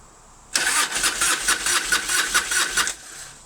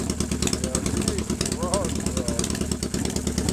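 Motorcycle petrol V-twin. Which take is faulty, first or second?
first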